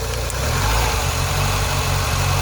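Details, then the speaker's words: 2000 Ford Fiesta MK4, 1.3 L 60 hp Endura petrol, idle stepper/control valve unplugged: low uneven lumpy idle sagging rather than holding; proves the valve works; unstable idle persists after new MAF/intake-temperature sensor. "On peut essayer de le débrancher. Ouais. Et là, il perd son ralenti. Là, il est moins bon."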